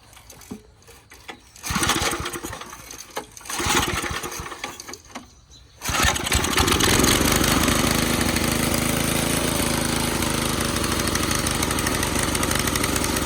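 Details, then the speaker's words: 1987 Craftsman tiller, run after sitting 20+ years, choke off at wide-open throttle: it catches and holds a loud drone with a slightly lumpy beat; the owner thinks it may be getting a little too much fuel. "Sounds like it might have a little too much fuel. Now mind you, this is set wide open right now, so I want it to be running optimally at wide open."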